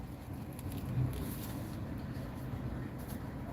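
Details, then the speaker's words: Owner's car idling after a friend worked on it, with more work still to come: a steady, even low idle that no longer rattles or shakes as it did before. Normal idle. "Doesn't rattle, doesn't shake, doesn't do any of that like it was doing before."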